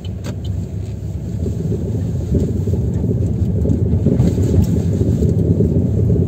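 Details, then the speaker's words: Chevrolet Aveo T300 driven over rough road: a loose, irregular "bucket of bolts" knocking from the front that goes away when the brake is pressed. The front brake caliper is loose on its guide bolt; owner is unsure whether to replace the bolts or the caliper. "если присмотреться вот видите суппорт гуляет вот эта есть этот стук или вот эти вот болты направляющие менять или всю конструкцию в целом не знаю"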